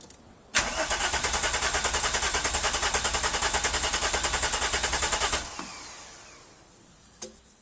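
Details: VW Corrado VR6 with no start, fuel present but no spark, VAG-COM OBD1 fault 00513, air pump deleted: even starter cranking at about 3.5 turns per second for five seconds, never catching.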